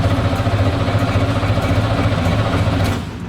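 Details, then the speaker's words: 1990 Chevrolet Camaro Z28 1LE race car abandoned for years: steady cranking at about three and a half turns per second, never fires; oil pressure near 60 psi but no fuel pressure, fuel pump probably dead. "so we got no fuel pressure which means that fuel pumps probably been yeah fuel pumps dead"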